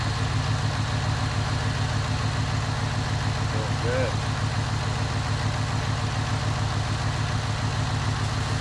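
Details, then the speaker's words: 2001 Cadillac DeVille after its starter was replaced: a steady, even low rumble with no knocks, misses or squeals; the engine runs cleanly and sounds healthy. "go biggie come on baby sounds good all right see i've got the power"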